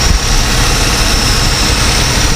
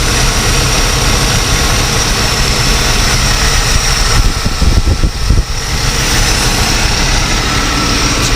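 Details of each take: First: Continental Mark III V8 run after 32 years sitting, idling with deep lumpy rumble and thin steady whine from power steering pump apparently a little low on fluid; carb just filled, oil pressure good. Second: Continental Mark III big V8, carbureted, fires right up and idles with a deep, steady rumble after 32 years sitting, with one brief uneven patch; good oil pressure, slight power steering pump whine, fluid seemingly a little low.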